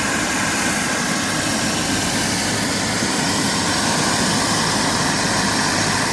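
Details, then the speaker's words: JetCentral model turboprop turbine on a test stand during its first start-up, temporarily fitted with a wrong-size test propeller: smooth constant turbine rush with a thin steady high whistle, no knocks or hunting; normal running at speed. "and can't be happier it sounded so good I love it it's just a great piece of equipment"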